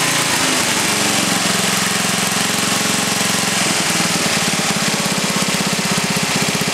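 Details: Briggs & Stratton 11 hp flathead single (model 25), first run after a year idle, cold start at about 60°F after a night in the 30s: even steady thumping at fast idle, no knocks, misses or rattles; runs well, burns a little.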